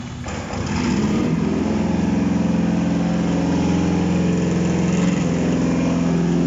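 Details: Contract Toyota 1ZZ engine on its first start on a test stand: it settles into an even, steady idle with a smooth low drone and no knocks or ticks, sounding healthy.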